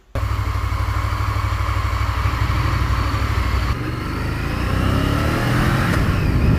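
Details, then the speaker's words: Honda VTR1000 Firestorm V-twin on a road test after fitting a new fuel cap to cure the faulty cap breather vacuum lock that caused stuttering at high rpm and engine cut-out; pulls cleanly as revs rise through the gears, no stutter or misfire: normal running. "i can tell it feels brilliant you know he does want the exhaust he does want the exhaust ripping off and putting some bloody open race cans on it because of the minute it sounds like some uh on the gold wing or something like that"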